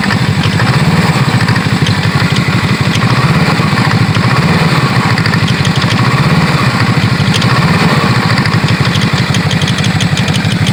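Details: BRP CVT clutch at idle, 14,000 km: lumpy idle with a light, fast click, about three a second, from the belt-drive clutch.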